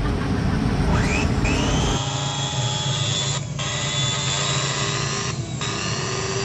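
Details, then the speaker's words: Wood planer with new armature that overheated: motor spins with a rough low growl under its whine, armature still rubbing the stator because the worn lower bearing seat shim was too thin on the first attempt. "masih ada suara ngoroknya guys Oke untuk percobaan yang pertama gagal dikarenakan ganjelan yang bawahnya ini kurang ganjelan bearing nya kurang tebel"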